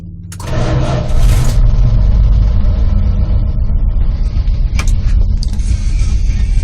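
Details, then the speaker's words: 1986 Dodge Ram Custom 150 six-cylinder with 78,500 miles. The starter catches within a second and the engine settles into a low, smooth, even idle with no knocks or misses: normal cold start. "You can just listen to it purr. It being 6-cylinder, it doesn't have a lot in that"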